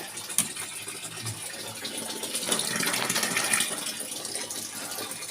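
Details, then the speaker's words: LG top-load inverter washing machine (12 V supply) after a part was replaced to fix very weak water filling: a strong, steady rush of water into the tub with no trickle. It now fills properly. "na nay malakas na ka tubig ayan o kita niyo m 'di ba naano na nagawa na nagpalit akong piyesa"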